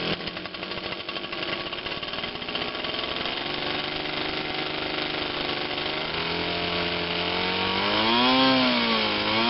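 High, buzzy two-stroke note holding steady then wavering slightly as revs climb; the small gas engine runs properly.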